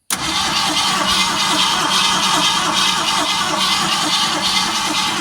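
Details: Original 1971 Ford Torino after 25-30 years stored in a garage, with a new battery, primed with fuel and pumped gas, running on 2-stroke gasoline. Catches right away into a lumpy, uneven idle with a hissy top end. Hard starting.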